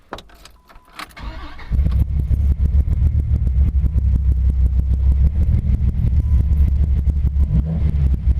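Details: 1998 Dodge Viper after dry sump install and steering rack refit: starter whirr, then an even, steady idle with no knocks or ticks; warm idle oil pressure 50 psi, some idle vacuum possibly reduced by an unsealed PCV; running healthy.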